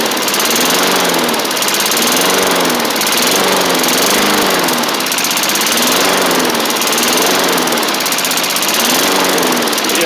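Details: 1990s MTD Yard Machines push mower, old-style Tecumseh primer engine, first running on its own after revival; speed surges and sags every couple of seconds, throttle still to sort out, uneven running.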